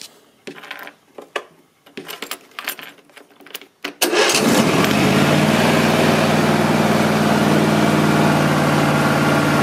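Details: Husqvarna YTH24V48 riding mower test run after replacing a failed starter solenoid with a non-original one; battery 12.06 V before starting. Clicks and handling noise, then the engine catches cleanly and settles into a smooth, even idle with no misses.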